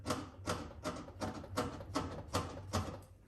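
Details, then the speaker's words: Blomberg RapidJET washing machine: sharp ticks, about two and a half a second, as the drum is rocked by hand. The same ticking is heard on an unbalanced spin ramp-up and goes away at speed; the owner wonders if cables are the cause. "if it is unbalanced and like the drum's like moving back and forth on the spin as it's starting to ramp up, then you can really hear that ticking, so you can."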